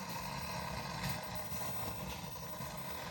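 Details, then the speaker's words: Non-working 40-year-old Ms. Pac-Man arcade game at power-up with the door off: constant crackly hiss over a low steady monitor hum; static on the game, which is not good, cause not yet found. "I hear the monitor. I hear the static. And I hear static on the game, which is not good. But 40-year-old electronics, things happen."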